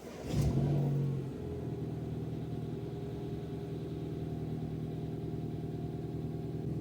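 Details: Mini R56 cold start after ultrasonic cleaning, rebuild and replacement of fuel injectors to cure cold-start misfire: quick crank, catches immediately, steady even cold idle with no shake or misfire.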